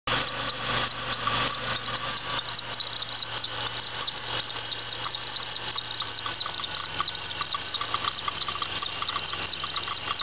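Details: 1996 Pontiac Bonneville SSEi idling with a fast, high chirping chatter from the belt drive: bad idler pulley.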